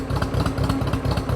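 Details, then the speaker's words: Old International T340 Drott skid shovel with a four-in-one loader, first run after its coil wire was found unplugged: lumpy, uneven idle chuffs with dropped pulses, misfiring on a cylinder; carburetor to be inspected. "you can hear it's misfiring for something [Music] well you heard it kind of spits and spotters"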